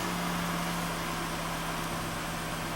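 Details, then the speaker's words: 2011 Citroën C4 1.6 16V hatch, 68,000 km, before repair: steady low hum over an even idle; clutch makes a strange noise and the pedal shakes when pressed, diagnosed as needing a clutch kit replacement. "você bota o pé no pedal da embreagem ele fica tremendo barulho muito estranho"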